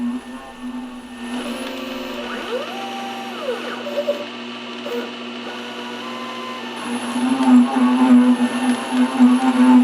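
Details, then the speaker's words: Lathe threading the ER40 side of an ER40-to-5C adapter, run at a slower speed. A thin whine with a rough rasping bite is heard. It sounds like chatter but is the tool cutting the tops of existing chatter marks, which is beneficial. "fortunately this noise is not chatter but more or less the cutting of the tops of the chatter marks sounds the same but this one is actually a little more beneficial"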